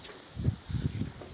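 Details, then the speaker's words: Hyundai Accent Blue door swinging after yellow grease was applied to the door check straps: soft thumps with no creak or squeak left, fixing the chronic dust-related door squeak. "bakın herhangi bir ses kalmadı video uzun olmasın diye bu işlemi yapmak istedim"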